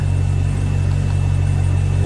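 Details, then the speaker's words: Volvo Penta 6.0 marine inboard starting to warm up after head gasket install: deep, steady low rumble with an even beat, no knocks or tapping; no alarms, healthy idle. "you got no alarms looks like she's starting to warm up"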